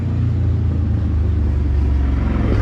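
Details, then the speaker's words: 1995 Saleen Mustang engine running with inconsistent top-end banging against the valve cover under a deep rumble; first feared a spun bearing or dropped valve, actually a snapped rocker arm bolt letting the rocker hit the cover. "so we felt the valve cover and we could feel something banging around so we thought maybe it was a drop valve oh we were close broken rocker so that's actually where it was hitting the valve cover actually basically the bolt snapped"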